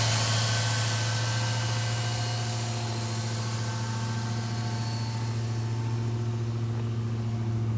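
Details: Old Jeep cold-started at about 20 °F after fuel was poured in and the system primed, with the gas gauge not working: a smooth, even low idle with a steady hum and some background hiss. The engine runs cleanly.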